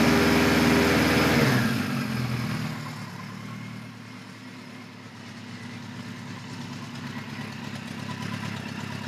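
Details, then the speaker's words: 1973 Kawasaki Z1 900 with new 4-into-4 exhaust, cold-blooded: brief blip fades into a steady, even four-cylinder idle with no misses, knocks or ticks, slightly rich with some enricher then enricher off. "I got a little bit of enricher still now it's off all the way still not bad as you saw before this thing pretty cold blooded"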